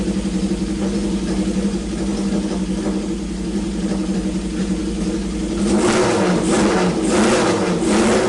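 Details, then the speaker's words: Honda CB750 four-cylinder, revived after sitting with points filed, oil level corrected: even idle then crisp blips rising and falling cleanly, fires on all cylinders; normal idle and revving. "well i'm going to classify that as an absolute win i mean i did almost nothing to bring this bike back to life um which is awesome i mean these classic hondas nine out of ten of them just want to run"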